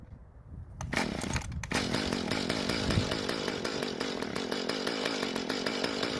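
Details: Mantis two-stroke tiller, long unused, after rebuilding the damaged carb and running conventional mixed fuel: catches after a couple of pulls, then settles into a steady, even buzzing run with no stumbling.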